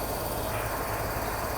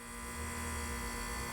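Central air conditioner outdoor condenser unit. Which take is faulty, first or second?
second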